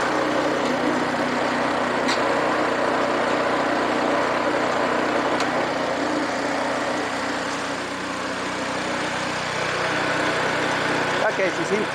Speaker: Okay she seems to sound pretty good we're gonna let her